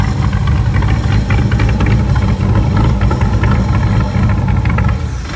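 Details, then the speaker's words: Salvage Factory Five GTM: loud, lumpy, uneven idle with irregular thumps that sits high and won't drop, almost like it's misfiring. Loose terminals were already replaced; owner suspects the air-fuel mixture. High erratic idle, cause not found. "this thing is just idling really high and it stays idling doesn't want to drop and when it does drop it kind of like sounds like it has a cam it's kind of almost like it's misfiring a little bit"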